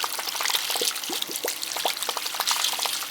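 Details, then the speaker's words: House heating loop with PEX piping on well water, purged through the purge valve; irregular spitting and gurgling as air and water sputter out, the loop is airbound and needs bleeding; the circulator is also suspected. "You can hear the air coming out of it. Hear the air coming out, see it? Airbound."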